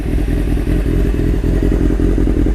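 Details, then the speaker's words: Restored 1995 Honda CBR600F3 (engine largely redone), fully warmed up in the garage after its first real ride: steady, even idle with low rumble and light valve clatter, no misses or knocks; running great. "that's how she's all warmed up now it tells you the happy bike now"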